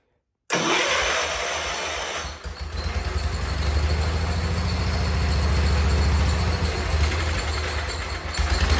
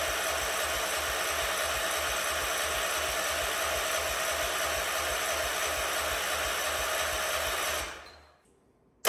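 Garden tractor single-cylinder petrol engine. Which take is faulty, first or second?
second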